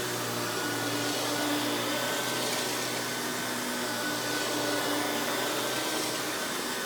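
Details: Hoover PowerMax Supreme 850 S3609 canister vacuum, 1990s, non-original hose, on high speed with power brush: steady, even whoosh with constant motor hum, no surging, rattles or scraping; runs very smooth, not the quietest; normal running.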